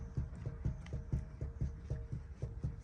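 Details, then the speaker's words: 98 Ford Mustang GT (SN95), wheel raised: quick steady dull clunks, about four a second, as the front wheel is rocked side to side by hand; play from a loose front wheel bearing, to be replaced with new bearing assemblies. "I can definitely feel the play oh yeah especially side to"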